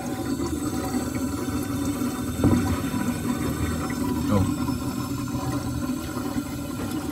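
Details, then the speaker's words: Single-door refrigerator with compressor running and hot but not cooling, heard at the freezer evaporator: steady hum under a trickling water-like gurgle, from a refrigerant circulation restriction or migrated compressor oil; fix is flushing the evaporator line. "suaranya itu seperti itu. Ini gemericik air. Nah ini bisa disebabkan karena ada penyempitan di bagian sirkulasi freon ataupun ada oli kompresor yang naik teman-teman ya."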